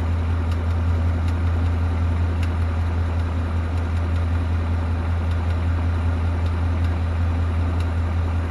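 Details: 2018 Mustang GT V8 with a newly fitted NBRP cat-back exhaust, idling; steady deep burble with sharp light ticks at irregular intervals, cause unexplained.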